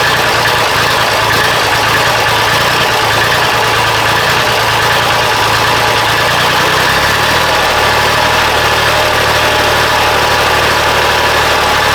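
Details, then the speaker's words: Diesel engine at idle on a cool 46-degree morning, after injection pump timing check for a miss/hesitation, briefly run out of fuel: steady clatter with uneven beat, note sagging near the end. Still rough idle; owner may let it warm up. "it seems a little better but still not quite there I might need to just let it warm up"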